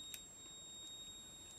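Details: AP Valves XPD rebreather handset on the bench during pre-dive setup, battery just recharged, sensors uncalibrated and reading 21% oxygen instead of 0.7 setpoint: a thin, steady high electronic tone over a quiet room, the low-oxygen warning beep.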